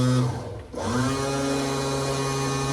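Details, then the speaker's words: 1968 Pontiac Firebird convertible-top hydraulic pump, reservoir refilled: the top lowers but won't raise. Steady buzz with no load; cylinders not bypassing. Reservoir cool, motor lukewarm; the cause is still uncertain. "But you can hear how it's just kind of buzzing like it ain't got no load on it. Well, that's because it doesn't."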